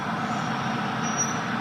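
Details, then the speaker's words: 2010 Chevrolet Silverado rolling slowly: thin high squeak from the rear right, in time with wheel rotation, comes and goes, only at low speed, stops when brakes are applied; drum brake shoes checked and have plenty of wear left, cause unknown. "Let off the brakes. Just say as I roll slowly when you can hear it. It seems consistent with the wheel turning, but it comes and goes."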